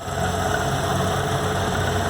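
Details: VW Gol G4 Power 1.6 AP engine, lowered, poly-V accessory belt without air conditioning: steady idle with a thin constant whirring whine from the belt tensioner bearing; owner initially suspected the water pump.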